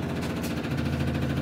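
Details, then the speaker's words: 1962 Austin Healey Sprite Mk II, positive ground, long-sitting, ignition key on: the electric fuel pump primes with a steady hum and even ticking; a carb float valve is stuck and leaking. "okay you can hear the fuel pump is actually running so i'm going to have to watch over there make sure that the carbs aren't leaking"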